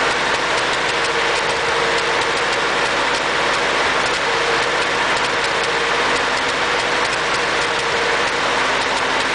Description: My ford 8n has an engine skip or misfire. I don't know what needs to get looked at next. Is it carb related or distributer.